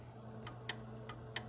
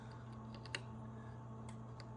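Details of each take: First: Sharp relay clicks over a steady low hum as a Central Electronics 100V tube transmitter is keyed via the mic PTT, a normal keying action; keying with the manual switch still does not work. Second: Central Electronics 100V transmitter with a replacement NOS transformer and rewired HV secondary. Faint irregular clicking over a steady transformer hum: the transmit relay chatters weakly and won't key on the manual function, though it keys with the mic PTT.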